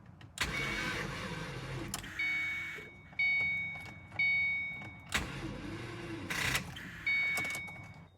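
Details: Rebuilt 2006 Mustang GT with new mods and a new tune, which ran rich the day before: next morning, several short bursts of cranking, each fading without firing; cranks but won't start.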